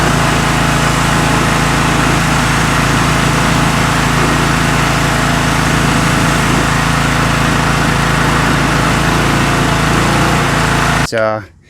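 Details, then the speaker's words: Karcher K3000G pressure washer with Briggs & Stratton Classic engine, after unloader valve replacement, on city water: steady, even engine drone about eleven seconds, no surging or hunting, clean shutdown; pressure loss fixed, normal. "The pressure issue that we were having is definitely fixed."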